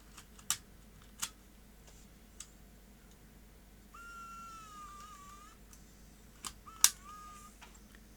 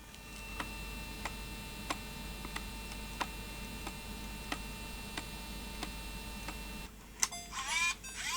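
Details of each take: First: Sony DCR-IP7E MicroMV camcorder, repeated eject and close tests without a tape: crisp clicks and a short, even motor whir. The deck works normally. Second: Sony DCR-IP7E MicroMV camcorder playing a tape: even click about every two-thirds of a second over a quiet whir; take-up reel table cracked right through, so a gear tooth clonks on the crack each turn.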